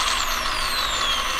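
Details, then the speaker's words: Castle Cobra 10 ESC with a 3500 motor on 3S in a rock crawler, after setting sensored-only mode: drivetrain whir with thin high tones sweeping up and down at barely any throttle; the ESC is still hunting between switching frequencies. "you can hear it switching between I'm barely moving my finger like not even perceptible amount and it's switching between those two frequencies"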